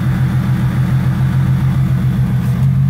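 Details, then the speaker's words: Ford Mustang 3.7 after water pump replacement, about 5,000 miles since: steady even low rumble at idle with no knocks, ticks or squeals; engine smooth and healthy. "all right dirty ass engine bay I know is my new water pump my baby Kanan now I've already put like 5,000 miles on it and she's doing good"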